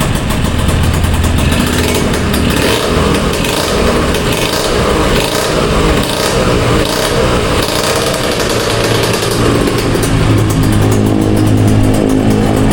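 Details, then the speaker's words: Kawasaki Ninja RR carbureted motorcycle during exhaust service: revs rise and fall with a thin rasping tinny edge; leak at the exhaust header joint, joint seal to be replaced. "I berarti suara yang kurang tuh dari sini berarti ya. dari kelapotnya merepotnya merepetnya."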